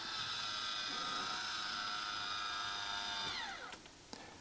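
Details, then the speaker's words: MaxxFan Deluxe roof fan in a camper after 2 years of use: steady high gear whir for about three seconds, dropping in pitch and ending with a click as the lid opens or closes; noisy lid-drive gearing, audible to neighbours at night. "Posłuchajcie w nocy to ten dźwięk do że wy słyszycie No to również wasi sąsiedzi też słyszą ten dźwięk zamykania i otwierania tej pokrywy"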